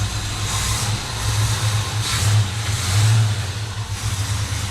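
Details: 1957 Chevy Bel Air V8, first run in 30 years after tightening a loose fuel line, possibly weak fuel pump, coolant leak still to find: fires and settles into deep, even lumpy idle with light blips; runs normally.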